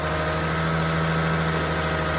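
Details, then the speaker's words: 2004 Lexus ES330 after timing belt replacement (old belt chirped), started with pulleys torqued: smooth even idle with steady low hum and only faint light injector ticking; healthy. Normal idle. "So real quick, I'm going to start this up. And it sounds pretty good."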